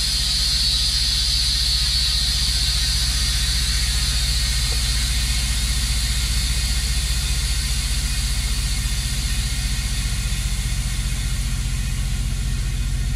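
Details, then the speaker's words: Semi trailer air suspension demo, 100 PSI tank feeding the height control valve through a pressure protection valve: loud air hiss from a drilled airbag over an idling engine fades as tank pressure drops and the valve shuts off supply. "r uh airbag here and we have a hole I drilled a hole in here uh to do a demonstration how this works so if we have a hole in our airbag the the uh height control valve is going to call for more air we'll put the arm up all right you can hear the air bleeding out of here and if we watch tank pressure it's dropping down"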